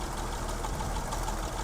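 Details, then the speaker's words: Survivor classic pickup (either the 1936 International C1 or the 1967 Chevy C10), rewired, converted to an electric fuel pump, leaks some oil: low, even idle with a steady soft thump and no misses or surges. "Let me start it up. Nice and easy. It just purrs right along. Pretty neat. Yeah."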